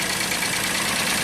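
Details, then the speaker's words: 1995 Mercedes E320 wagon, not run for a year, first start after repair with crank sensor code cleared: even, steady idle with a light hiss, no misses or knocks; engine running smoothly. "you know that feeling when you know you have the problem fixed even before you crank it fantastic running smooth"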